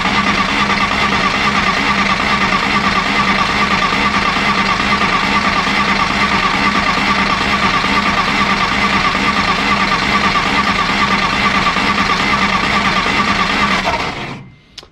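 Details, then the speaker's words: 1953 Willys Jeep CJ-3B after sitting three years, choke on, starting fluid sprayed in air side; starter cranks steadily about fourteen seconds with no firing; weak spark later traced to the distributor rotor having been left out. "ah i think that sparks too weak um there's a good yank another yank"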